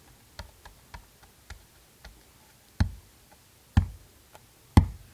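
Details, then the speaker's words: A reference healthy subwoofer, tapped and pushed hard, gives a deep, solid bass thump that dies away cleanly with no rasp or coughing. It is the comparison for a blown HDC3 12-inch sub whose cone separated from the spider and whose coil rubs the motor. "it's a very deep solid base sound see how I can push this sub and it doesn't make a single coughing noise and I'm pushing the [ __ ] out of it"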